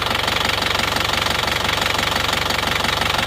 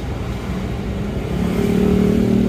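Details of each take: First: Isuzu Panther Touring diesel, after repair of a misfiring rough idle with tapping noise, idling warm at normal operating temperature: even, steady clatter with fan belt noise, no stumble or missing beats; now runs smoothly. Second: Isuzu Panther Touring New diesel idling roughly, low clatter uneven and loping with tak-tak knock and engine shake; one cylinder seems not to fire, suspected nozzle, delivery valve or injection pump.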